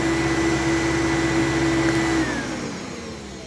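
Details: Fantom vacuum with an intermittent broken switch and a Thunder bin replacing one missing its gasket: steady low-pitched motor hum with a faint whistle, winding down smoothly at switch-off. The motor sounds oddly low to the owner.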